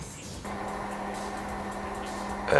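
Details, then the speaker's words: Whirlpool AWOE 8760B washing machine after motor brush replacement fixed an F06 no-spin error, final rinse and spin: steady even motor hum, no knocking, scraping or grinding. Normal spin cycle, running fine. "this is just the end where it's uh rinse rinsing it spinning it out sorry three minutes left and it's run fine there's no problems what's all whatsoever"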